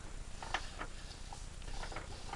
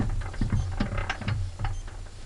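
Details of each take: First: Petter A1 engine turned by hand: slow, uneven, gritty scraping each stroke as the piston grinds on a scored bore with nail-deep score marks near the top; water had got in, needs a new bore. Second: Petter A1 small engine, said to need a new bore, turning over: slow, even turning with soft gear whirr and light rhythmic thumps, no knocks or rattles; virtually no noise apart from normal gearing.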